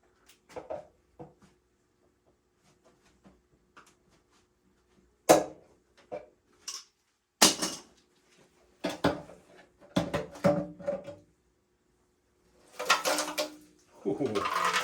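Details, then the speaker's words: 1975 Harley-Davidson SX250 fuel tank being shaken: gritty rattling and clinking as loose pieces slide around inside, showing a lot of loose rust debris in the tank. "that does not sound good there's a lot of loose rust in there that's not good"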